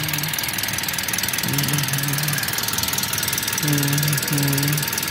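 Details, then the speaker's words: Manual car after a flood crossing in second gear at 2000 rpm, with wet underside and hoses but no leaks found: at idle the engine turns over evenly with a steady pulse under background clatter. Timing and rotation are fine and unhesitating. Normal idle. "ini putaran ini juga aman timingnya Ma putarannya itu pas ya gak tersendat"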